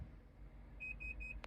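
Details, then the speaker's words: Mazda CX-5 with every module reporting lost communication with the ABS module: three short high beeps at the tailgate button, then a click, and the tailgate does not open; the electronic parking brake also fails to engage. "nothing happens. Tailgate doesn't work, right?"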